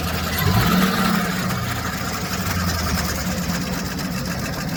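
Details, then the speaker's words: 2007 Chevy Express 3500 van V8 at idle with a little gas, before treatment and still on old oil: a light, fast ticking rides over the engine note at a steady pace. No smoke; the owner had hoped it was a pulley. Sticky hydraulic lifter tick. "Alright, she's still rapping away here. Give a little gas, Lou. Yeah, I don't know. That don't sound good. She ain't smoking."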